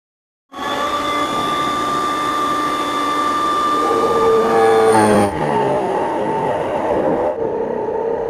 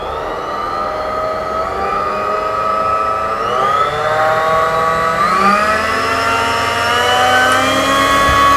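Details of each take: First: Mini bench drill fitted with a 10 mm wood bit, drilling a 20 mm hole in wood. The motor whine drops and wavers as the bit bites, slowing under load. Owner suspects the machine has burned out. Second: Newly assembled mini bench drill running with no load as the speed control is turned up to its highest setting. The smooth, even motor whine climbs in steps with no knocks or grinding: healthy.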